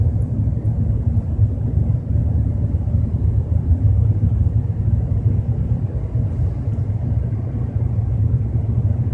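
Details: BMW 320i with a low rumbling noise while driving at 30–40 km/h; steady deep drone with nothing high-pitched, continuous under road speed, source not yet pinned down.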